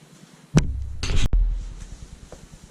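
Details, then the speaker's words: Basement grinder pump shutting off: one heavy thump, then rushing water and fading low knocks. The cheap original discharge check valve in the exit pipe is slamming shut; it is to be replaced with a spring-assisted quiet check valve. "So yeah, that loud ass thump that you heard was the check valve in the exit pipe from my grinder pump. Incredibly annoying."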